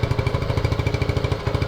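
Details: 1979 Honda CT90 Trail 90 (90cc, 4-speed), first run in 26 years on an external fuel tank: small single thumping about ten times a second with uneven rising and falling pulses, rust blowing from the exhaust, running rough.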